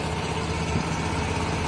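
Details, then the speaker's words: Scag Cheetah EFI mower after drive belt replacement, run slow at low speed: steady, even engine with no grinding from belt drive, grinding heard before from a bad pulley is gone. "Before I was hearing like grindy noises and that was that that that video same video that that pulley that pulley was bad and I can hear it. I can hear the grinding and stuff and now it just you don't hear it anymore."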